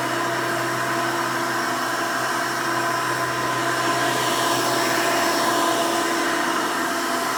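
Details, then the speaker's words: 1992 Hoover Elite II Total System Performance 650 upright vacuum, model U4689-910, motor needed no work after purchase: steady, even high-pitched whine with no surging, rattles or scraping; runs smooth and healthy. "runs very nice and smooth definitely sounds good i didn't have to do anything to the motor when i bought it so that's one nice plus"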